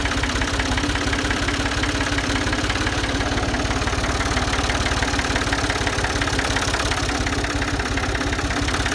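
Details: Ford 2000 diesel tractor with suspected bad injectors, running on Diesel Purge after bleeding the fuel system: steady idle with a hard clattering knock on every firing, about three per second, consistent with injector knock.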